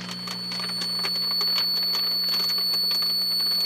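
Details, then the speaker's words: HP 400H monitored through an EICO 147A signal tracer with gain raised: steady high-pitched squeal over hum and crackle as a microphonic tube breaks into oscillation after gentle tapping. "now if i turn the gain up on the ico 147a it'll squeal but i will turn it up just a wee bit now what it does is it goes into like an oscillation"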